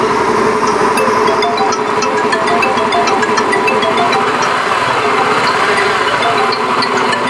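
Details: Honda Beat FI eSP eco scooter: steady engine note with a coarse, gravelly rattle riding on top; rough-sounding engine, source not identified.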